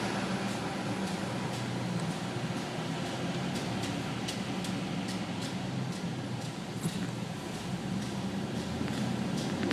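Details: Nissan Titan on ramps: light, sharp clicks about twice a second over a low vehicle rumble, changing when the e-brake is engaged. The cause was the parking brake shoes, and the clicking was gone after the shoes were replaced.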